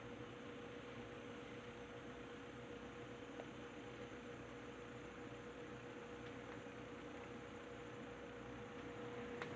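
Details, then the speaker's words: Rebuilt Wizard window box fan (bearing caps transplanted from a Lakewood X 22) on low speed: soft even airy rush with faint steady tone, no rattle or scraping; very quiet, normal running. "You see how quiet it is on the low speed?"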